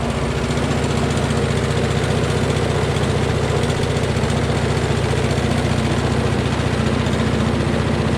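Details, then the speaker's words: Honda mower engine after cleaning a rusty ignition coil, at low throttle: a quiet, even putter of about three to four beats a second, with no stumbling or knocking. Normal low idle. "and that's all the louder it is when it's on low"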